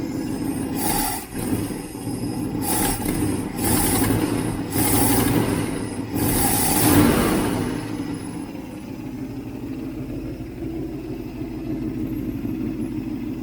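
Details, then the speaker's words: 1967 Ford Mustang 390 V8 after rebuild, choke wide open: crisp throttle blips then steady, even idle without misfires; sounds excellent, no smoke, exhaust leak still to fix. "Boy, that sounds good. That is excellent. Absolutely excellent."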